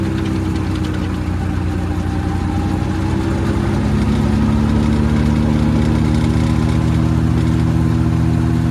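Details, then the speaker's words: Tractor driving straw reaper, throttled up by foot pedal to working speed, about 1400 rpm after RPM setting: steady engine drone under even fan hum rising slightly, no knocking or rubbing; strong performance. Normal running. "ये आवाज़ निकालती है आपकी machine. देखिए मात्र 1400 चक्करों के ऊपर खतरनाक परफॉर्मेंस।"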